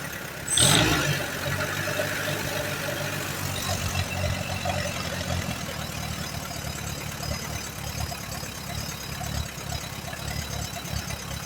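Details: 1938 Allis Chalmers B with Waukesha gasoline engine: uneven low chugging at about four beats a second that never settles. It keeps going only on choke, plugs are slightly rich, and the carburetor needs a rebuild.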